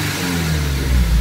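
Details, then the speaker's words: Subaru BRZ with SBD500X turbo kit, just after its first start-up while still warming up: short deep smooth revs with a solid low rumble, blow-off valve audible, no knocking or rattle; deeper tone than equal-length headers, probably from the turbo. "only that but it actually sounds good it's uh I've had will equal length Heather's before and they didn't sound like this this one has a bit of a deeper tone into it probably because of the turbo"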